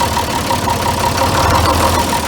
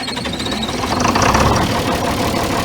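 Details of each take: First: John Deere 4010 diesel idling just after lift pump replacement and fuel bleeding: an uneven, hunting surge with faint ticking from air still in the fuel system, so a little more fuel is given to clear it. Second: John Deere 4010 diesel after replacing a leaking lift pump and bleeding the fuel: catches and picks up to a steady, even chug with no misses, slight surge, left idling; normal start.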